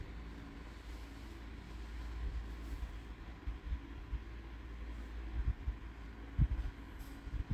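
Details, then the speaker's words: 2008 Chevrolet Vivant CDX with automatic gearbox, after full engine and transmission overhaul (new bearings), test drive accelerating to about 80: steady low engine drone building smoothly with speed, no knocks or slipping flare; engine and automatic transmission normal. "mình này mình chạy test về phần máy và vườ phần hộp số nha anh em này là số tự động nha"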